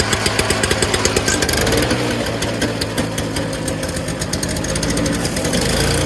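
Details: Early-2000s Toro Snow Commander 7 hp R-Tek 24-inch two-stroke single-stage snowblower after clearing the fuel hose, running steadily at a fast crisp beat without stumbling, smoke clearing; getting fuel and running normally.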